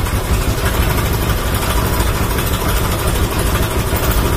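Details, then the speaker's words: Motorcycle after fitting Tobaki coil and Faito spark plug; before, it nearly stalled at start: even steady idle, no stumbling or misfire; idle now stable. "Motor seat buset saya pun sudah stabil. So sebelum ni kalau saya start motor pun dia macam nak mati je."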